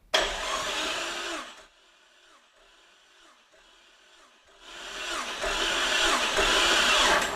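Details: 2000 Jeep Cherokee XJ with an engine older than the Jeep, cranking without spark plugs during compression test (150 psi, healthy); even starter whir with steady compression pulses about 210 a minute, normal cranking.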